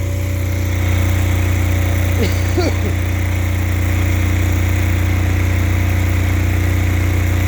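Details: Apache diesel generator in freezing weather, running under load: deep, steady drone with an even beat and no knocks, misses or hunting; normal, healthy running under load.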